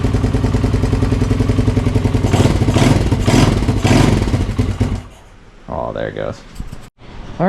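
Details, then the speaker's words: 1981 Honda XL185 with engine from an 1982, on choke with idle screw turned in, no air filter fitted: single fires unevenly, surges, dies at idle; owner suspects running very lean from missing air filter; won't idle. "right guys yeah it doesn't really want to idle and run because there's no air filter in it so I think it's getting way too much uh air so it's running really lean"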